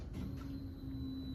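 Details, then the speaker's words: 1988 GMC Jimmy K5 with a TBI 5.7 350, parked 10 years, key turned on without starting to listen for the fuel pump. A faint, steady low hum for about a second, then it stops; the pump is priming normally. "a little pump around the first time I heard it so it sounded like our pump is doing something"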